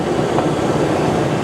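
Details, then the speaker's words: Van that was hard to start now idling on its own, no foot on brake or gas, alternator charging: steady even idle, no misses, knocks or hunting; purring, normal idle. "Alternator is charging, so we can shut this off. Listen to it purr."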